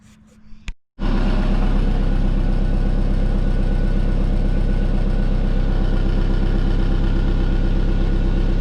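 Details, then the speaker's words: Twin-turbo Subaru at steady speed: deep pulsing rumble with a coarse chuff on each beat, exhaust leaking at the Tial wastegate through loose clamps and a stripped bolt. "found a lake uh the wastegate the tile westgate so it was actually leaking out of here so i'm going to tighten those two clamps up"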